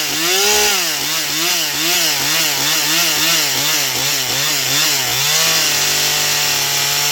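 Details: Stihl MS241 C chainsaw with computer-controlled carb, after Seafoam, dull chain, cutting pine: high clean scream under load, pitch dipping and recovering each stroke; normal full-throttle cutting, runs great on the high side, starting remains the problem.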